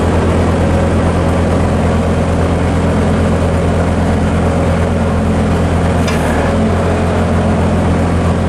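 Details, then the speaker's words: Bobcat 763 C series Hi-Flo with BICS lift/tilt bypass: steady even diesel drone with no bogging or labouring at constant speed, engine runs smoothly. "I want you to listen for the bogging of the engine on the auxiliary controls. You don't hear anything."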